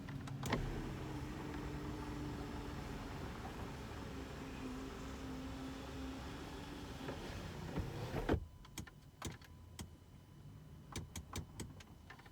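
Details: Mercedes W211 E63 AMG panoramic sunroof motor after grinding fix (washer added under bolt): smooth, even hum for about eight seconds without grinding or buzzing, then clean stop; working normally.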